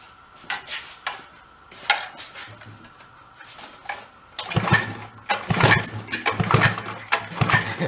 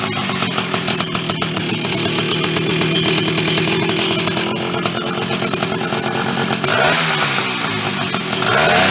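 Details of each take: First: Chrysler Sno-Runner snow cycle (title says 1979, speaker says mid-70s), sat 40+ years, spark confirmed; irregular pull-cord cranking bursts with rattles, never fires, cranks but will not start. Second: Chrysler Sno-Runner snow cycle (title says 1979, speaker says mid-70s), sat over 40 years, revived; two-stroke started on choke with a shot of old fuel, rough buzzy steady fast idle with some rattle; fired up and keeps running.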